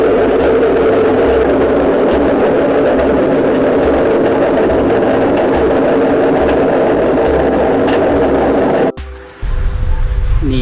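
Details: 23-year-old Electrolux EW543F front-loading washing machine: loud steady roaring rumble during spin from worn/broken drum bearings, which owner replaces about every 2 years; belt at risk if ignored.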